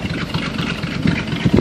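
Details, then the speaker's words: 1954 Chevy 210 idling in neutral, muffler removed and replaced with straight pipe, rest of exhaust factory: deep, loose, uneven burble with no knocking or rattle; normal idle. "this is what it sounds like with a a full exhaust system with no Muffler just straight pipe all the way back"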